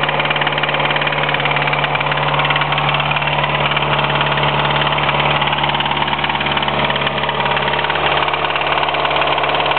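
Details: 1993 Mitsubishi Eclipse 4G63 idling with a steady knock of about three per second over the engine hum. A spun rod bearing is suspected, unconfirmed.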